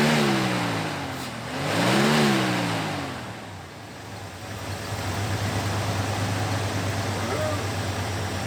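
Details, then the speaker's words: 1991 Ford Bronco, first start after sitting two years with old fuel, new fuel pump fitted (35 psi), starter jumped: engine revs up and falls back cleanly twice, then settles to a smooth steady idle; runs healthy. "Run like a champ."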